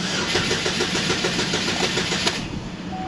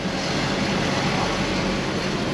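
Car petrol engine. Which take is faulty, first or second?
second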